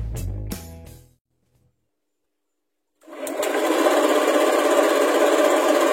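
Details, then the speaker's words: Honda Scoopy that only clicked at the battery on starter press, after cleaning and tightening battery terminal connectors: starter engages cleanly and engine settles into steady, even hum, no grinding or stumbling; repeated tests smooth. "Nah kita lakukan pengetesan berulang-ulang ya teman-teman sampai didapat hasil yang sangat lancar sekali"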